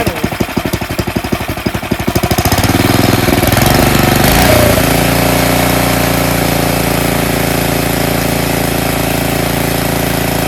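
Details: Tecumseh snowblower engine after the surging problem is addressed: rough pulsing start, then a steady, even drone with no rise-and-fall hunting; the idle holds smooth, normal steady running.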